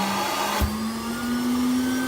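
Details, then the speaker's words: ICE walk-behind auto scrubber: vacuum motor hum rises into a higher whine when the recovery tank water level gets high and the float ball closes the float valve, stopping suction. "If your water level gets high, the ball's gonna float up, it's gonna stop the suction, so then your motor's gonna change sounds."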